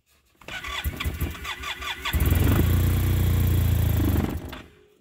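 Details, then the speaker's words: Arctic Cat Norseman after sitting overnight on fresh gas with Sea Foam: the starter churns in quick pulses, then a long crank, but it never fires; owner suspects a slow vacuum leak draining fuel or a bad fuel pump. "which is crank crank crank and not start I'm gonna actually film that today and show you"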